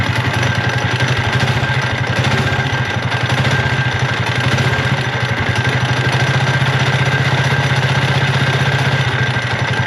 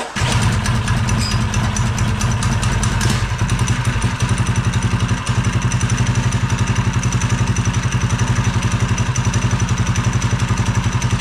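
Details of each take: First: Mini bike small engine with stage 1.5 kit and torque converter: rough, clattering idle with about four uneven knocks a second and a harsh metallic edge; crankshaft found snapped in half, later replaced by a Honda engine swap. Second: Swapped-in Honda mini bike engine, chain and belt cover off, after a pull start: a quick, steady single-cylinder idle with no knock or misfire. Normal idle.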